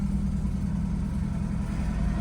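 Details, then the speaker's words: BMW F30 328i (N20/N26) after injector replacement: low idle holding but wavering with an uneven pulse, starting to bog, though longest idle yet; earlier dying-idle problem, cause not confirmed. "decent it's actually idling it's not like dying oh wait wait wait is it bogging it's starting to bog"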